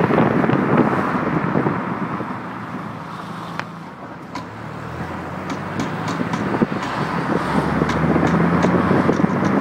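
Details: BMW E30 325/316: sharp irregular knocks, three or four a second, through engine and road noise only under hard acceleration or when floored, not when cruising; also knocks sometimes over bumps; source unknown.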